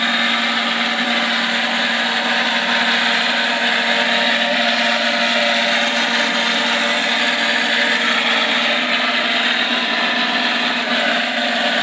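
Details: Micro hydro turbine with a big nozzle fed at almost 50 psi: steady rushing water jet with a fixed hum near 230 Hz, raspy and slowing down; the water supply is too small to keep the nozzle fed.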